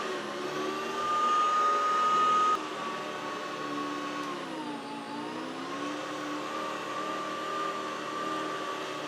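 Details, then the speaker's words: Hoover Decade 80 convertible upright vacuum after repair; steady motor drone with smooth high hum and a brief pitch dip, sounds good though not the best, expected to improve with use. "oh that sounds good not the best but it's good enough uh that'll probably get better with a little bit of use"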